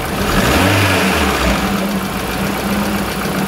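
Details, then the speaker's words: 2002 Kia Visto after cleaning and resealing the idle speed control valve, with AC switched on: brief throttle blip drops back to a steady, even idle without hunting or vibration; idle control fixed. "seperti itu nah coba kita nyalakan AC ya teman-teman kasih nyala Agas masih stabil tidak ada getaran"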